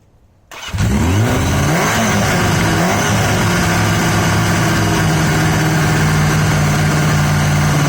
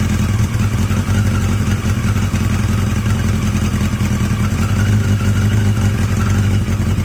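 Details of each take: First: Yamaha XJ750 four-cylinder motorcycle brought back to life: short crank then steady, lumpy, uneven idle running only on cylinders three and four; one and two not contributing despite spark on at least one. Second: Yamaha XJ750 "Mack" at idle after a carb swap using the XJ650's carbs, filmed outdoors in heavy wind; a steady, even low burble with no misses, knocks or hunting, the best idle yet, sounding healthy.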